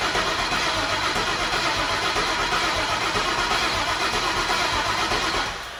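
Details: 2003 Ford Mustang Mach 1 with MMR stocker engine, twin turbos, full fuel system, 4R70 transmission, weak battery, jump-started; starter cranks evenly but never catches; fuel gauge very low, pressure near 20, suspected out of fuel.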